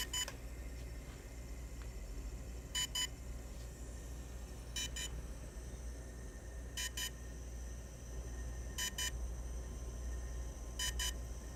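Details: DJI Phantom 3 Standard drone: short sharp high double beeps every two seconds or so over a quiet low hum; cause of the beeping unknown.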